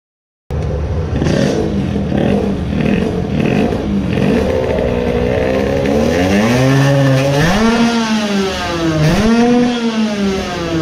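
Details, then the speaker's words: Tuned 20 hp two-stroke moped, main jet reduced from 135 to 130: rough uneven burble at low revs, then pitch surges as it pulls, coughing; runs lean before the powerband, losing midrange but gaining some top end. "it is coughing a bit... I didn't film this but with the 130 jet it got some more on the top but lost a lot on midrange because it runs lean before the powerband now."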